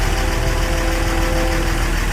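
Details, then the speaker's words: 2007 Dodge Ram 3500 Cummins turbo diesel, 6-speed manual, that had black smoke and no power: runs with low heavy drone and slight unevenness while drawing fuel back through the system to clear air, then smoother. "Gotta get the fuel back in the thing. He has to do it to get the fuel back into the system. That was kind of freaking me out. It has to run through the system."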